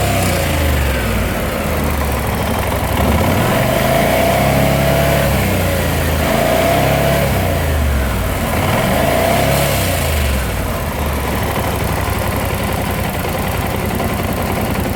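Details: BMW C600 scooter engine idles and revs with a loose, busy rattle riding over the engine note; suspected timing chain noise, not confirmed.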